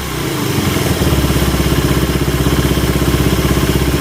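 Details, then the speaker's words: Suzuki Satria FU 150 test-start after installing the camshaft (noken as) and timing gear: steady, even, quiet idle putter with no ticking or rattle; engine now very silent and normal after the cam install. "Bang untuk suaranya Alhamdulillah ya kalau untuk suara ini udah senyap banget udah normal udah enak"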